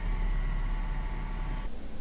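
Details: Whining from a Mercedes SLK 350 (R171) engine: a steady high whine sits over the low idle rumble from the accessory drive belt; the belt was getting shredded, and the whine was traced to the air-conditioning compressor.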